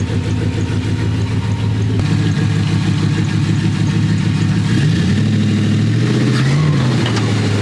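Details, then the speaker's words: Chrysler 5.9 V8 (1996-or-newer) idling roughly, revs rising and falling twice as the idle air control valve opens audibly; weak battery suspected; idle speed surging. "Valve? Did you hear it? What valve? The idle air control, you can literally hear it."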